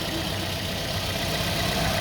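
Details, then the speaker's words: Toyota Vios with engine shake, coils on cylinders 2 and 4 already replaced; unplugging the cylinder 3 coil leaves the idle unchanged while unplugging cylinder 1 makes it shake clearly. Steady idle with an uneven, lumpy pulse points to a failed cylinder 3 ignition coil. "อะไรปกติมยครับไม่มีอะไรผิดปกติเลยยังอาการเหมือนเดิมครับไม่สั่นไม่อะไรครับเนี่ยอาการแบบนี้คอยน่าจะเสียครับ"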